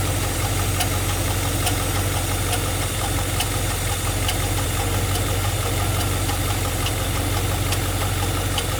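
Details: G8 engine at idle: sharp, light ticks about once every second stand out over a steady idle; a clear top-end ticking noise.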